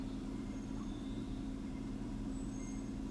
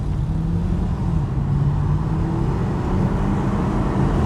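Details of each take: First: 2015 Chevy Camaro V6 with codes P0206 and P0300, at idle. Quiet idle with a faint uneven pulse under a steady hum. Disabling cylinder 6 changes nothing and the same vibration remains: that cylinder is dead from a failed injector, so it idles rough. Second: 2015 Chevy Camaro on a road test uphill after fixing a cylinder 6 injector fault (P0206/P0300): strong, even pull with smoothly rising engine note and no stumble or miss, nearly 100 km/h in about 5 seconds.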